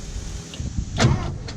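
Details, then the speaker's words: 1973 Porsche 914 sitting 3 years, key turned to run without cranking: single short whir from the fuel pump stopping within a split second; pump not staying on to prime, cause unconfirmed. "Okay, so the pump fires for a split second, but doesn't keep going."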